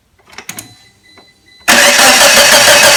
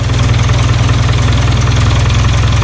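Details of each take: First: 1996 Geo Tracker after a replacement distributor was fitted, spark restored: steady cranking that never catches, then winds down; fuel pump runs; briefly ran then wouldn't restart; misaligned distributor timing. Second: 1996 Geo Tracker after re-pointing the distributor to its correct position, fixing no-spark/no-start: even, quick low-pitched idle pulse with no misses or stumbles; runs, normal idle.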